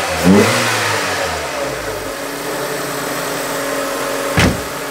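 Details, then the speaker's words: 2000 Nissan Micra K11 Sport, about 85,000 miles, restarted after 10 years stored and given fresh fuel: idle hangs high, then surges and hunts. "it's a bit high now now it's going to start surging as it wants to bring it down so it does sound like it is revving High there in comparison"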